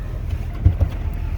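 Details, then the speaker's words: 2001 Duramax LB7 diesel with intermittently sticking No. 4 injector, after Liqui Moly diesel purge, warm after a drive: deep even rumble with no misses or rattles; smooth idle, owner suspects purge cleaned fuel pressure regulator. "it is idling very smooth so I may have had some gunk in my steel pressure regulator and liquid Molly may have uh cleaned it out"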